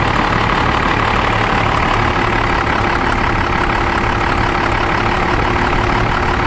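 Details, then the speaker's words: Dodge Ram 12-valve Cummins diesel with a 7s 2.5V/2600F ultracapacitor pack wired in parallel to the battery and starter, alternator charging just over 14 V: steady, even idle clatter with no misses or knocks, running fine. "sounds like it's running just fine"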